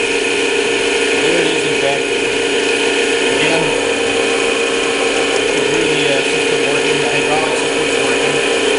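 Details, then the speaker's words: Old-style Clausing 5900 series lathe (parts lathe) running through speed changes, back gear and gearbox selectors; even, steady mechanical whir with light gear chatter, no knocks or grinding; drive components and gear train working normally. "the speed changing systems work in the back gear systems work and we'll just show all that functioning there we go all that's working"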